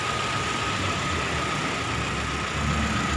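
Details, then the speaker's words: Mitsubishi Kuda engine idles steadily with a faint constant whistle and no knocks or misses, after repair of worn valve cover seal oil leak and power steering pump and rack seal replacement; runs normally. "Oke ini sudah kita Nyalakan udah hidup ya"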